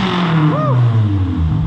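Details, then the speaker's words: Salvaged 2013 Scion FR-S 2.0L Subaru boxer, apparently aftermarket header and exhaust, revved a couple of times: deep, steady boxer rumble, revs climb and settle smoothly, nothing abnormal; junk seen from tailpipe. "there is a subaru boxer engine running well we're gonna be selling that motor transmission and everything else give her a couple of revs jason"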